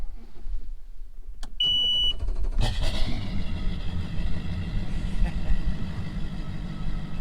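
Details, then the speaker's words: First start of a new 2018 Mercury Pro XS 250 outboard after the boat sat since October: starter beep, then it catches cleanly and settles to a steady, even low idle with no knocks or misses; normal start. "so this is the first start of the mercury pro 2xs 250. let's hope everything goes good"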